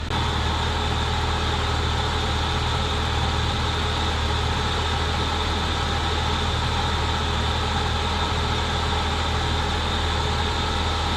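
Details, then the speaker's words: 2004 BMW 325xi replacement engine warming up after sitting a couple years; exhaust smoking, likely rodent nest burning off: steady smooth idle hum, no knocks or surges, cooling system not over-pressurising, reaching temperature normally. "but the run's good it's not building ridiculous amounts of pressure in the cooling system it's coming up to temp good"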